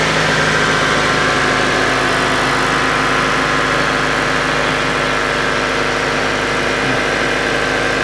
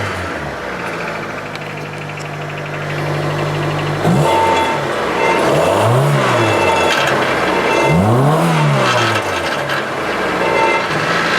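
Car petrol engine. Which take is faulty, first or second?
second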